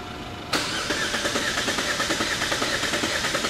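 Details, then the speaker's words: 2017/2018 Holden Astra four-cylinder with idle misfire (P0300) that clears when revved, relative compression test cranking with throttle floored to disable starting: lopsided rhythm about three beats a second, one stroke lighter; one cylinder at one percent. Low compression in one cylinder. "now as soon as you do that you can see that one cylinder is at one percent only three cylinders is working so this one cylinder has lost this compression"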